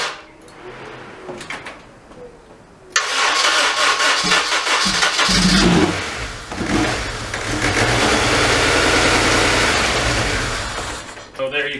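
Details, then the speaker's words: 2002 Honda Civic Si EP3, K20A3, codes P0341 and P0300–P0304, stretched timing chain suspected jumped: quiet long crank, then fires and runs ragged, misfiring even with throttle, for several seconds before dying; timing off. "see it's not starting up right definitely not idling even when i put my foot on the gas it's misfiring quite a bit so the timing is definitely off"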